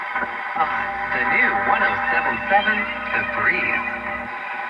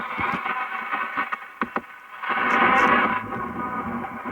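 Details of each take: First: Philco 46-480 AM/FM/SW antique radio after recap, pre-alignment test on FM using the antenna wire: station audio plays steadily and clearly with no hiss, crackle or fading; good sensitivity, normal FM reception. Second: Philco 46-480 AM/FM/SW antique radio after recap, before alignment, on a local station: harsh, fuzzy, rough-edged distorted audio output; tone control works, volume control dirty and needs cleaning or replacement.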